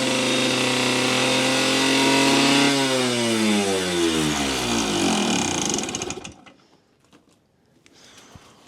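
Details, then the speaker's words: Yamaha YSR50 two-stroke mini bike, before rebuild: screams at high steady revs, then the pitch sweeps down and dies out. The owner believes an air leak causes the runaway revving; crank seals and engine resealing followed. "as you remember last time we finally got this bike running after doing many many things with the clutch and everything motorwise and it had a super high revving problem and I believe it was from an air leaks"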